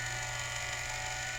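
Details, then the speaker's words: Culligan Gold Series 9 water softener control valve after relubrication, regen cycle running: steady motor whir with slight strain as the piston moves in and out, not binding, working normally. "okay so there it is cycling and it looks like it's working just [Applause] fine you can hear it's straining a little bit"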